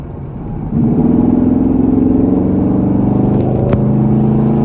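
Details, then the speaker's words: 1981 Holden WB one-tonner ute, six with automatic, first drive in over six months after brake booster replacement; accelerating hard on a back road with the window down, smooth rising drone, no knocks or misfires, healthy engine. "see if you guys can hear how this whole girl sounds she's only a little d3 but it does sound good when you open it up"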